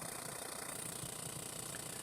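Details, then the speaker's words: Berdair pump driven by an adjustable PWM signal generator at about 30% duty cycle, where the motor whine is gone: low, uneven pulsing chug with no whine, like an old piston engine idling; choppy running at low duty. "pump definitely sounds a lot more choppy it sounds like an old airplane engine just idling"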